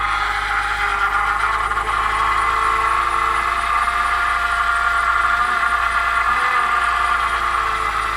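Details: BMW E90 323i, 2009; steady high-pitched squeal holds over the engine hum without changing pitch; source not identified.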